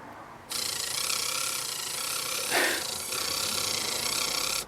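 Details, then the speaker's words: Casio CP-10 thermal printer mechanism driven by a Blue Pill board, sitting on noisy plywood: steady high buzzing rattle for about four seconds as the head drives along, printing normally. "So you can hear the that's the mechanism driving along on the extremely noisy plywood."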